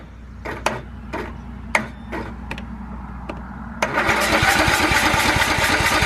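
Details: Riding lawnmower not run in years, carburettor cleaned, fresh gas, used battery charged overnight, first crank: several starter clicks and cranks, then catches and runs roughly but won't keep running; fires briefly then stalls, cause unclear.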